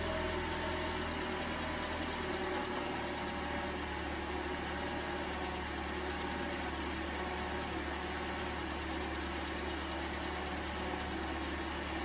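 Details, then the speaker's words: 2011 Toyota Camry 2.5L four-cylinder, first start after an engine swap (the old engine had bad compression), starting first try: steady even idle with smooth low hum, no knocks, ticks or misses; normal idle. "that sounds good that's always nice when uh starts first try usually there's something wrong"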